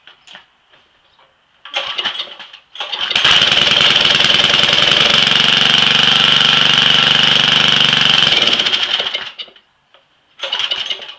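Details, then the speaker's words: Weed eater, cold start with choke after sitting since October; a couple of short pulls, then it catches and runs a steady rapid buzz for several seconds before shutting off: normal cold start. "put the choke on turn around this hasn't been started since this is october started right up huh"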